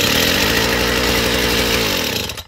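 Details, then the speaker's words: Chinese two-stroke brush cutter, cold, first start with idle screw opened too far before carb adjustment: fast even buzzing well above slow idle for two seconds, then cuts out. Idle speed too high. "Да, но нам же ж надо отрегулировать, чтобы всё теперь идеально было, потому что слишком много холостого у нас."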